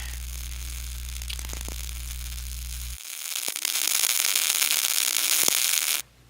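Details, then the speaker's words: MIG welding 1/8 in steel with wire feed speed set too high: machine hum, then a harsh, uneven crackle with sharp pops as the wire stubs into the puddle. "contrast that with too much wire feed speed here where the wire is stubbing in the puddle"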